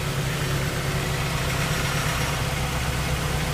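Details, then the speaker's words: 1998 Toyota RAV4 petrol engine idling evenly with a smooth low rumble, no ticking or exhaust puffing, after repairing broken oxygen sensor flange exhaust studs that had caused an exhaust leak. "like we're in business she started up well and sounds good"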